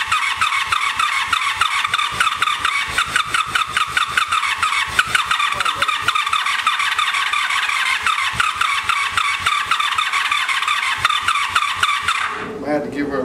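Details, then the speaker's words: Abandoned 1984 Honda Saber VF700S V4, cold first start after long storage on a gas bottle: fast, fairly steady firing pulses with some unevenness, then it cuts out; exhaust full of water, still burning off water and oil, smoking. "i don't sound pretty good when it cranked up still gotta burn all that water and oil and whatever it is so so she's a smoker"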